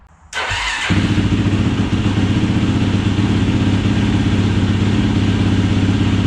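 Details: 2007 YFZ450 SE single with full exhaust and open airbox, after the main jet was raised from 160 to 180 to cure bad bogging. Catches instantly and settles into a firm, steady thumping idle with no stumbling; running cleanly.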